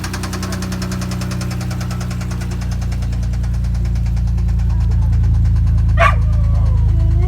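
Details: Toyota 1JZ-GE with a spun rod bearing: heavy, regular knock about four times a second over the engine note, growing louder as revs build.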